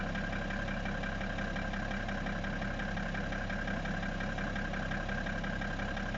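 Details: BMW E60 535d diesel at idle: steady clatter with a repeating knock about twice per second; engine knock, cause unknown.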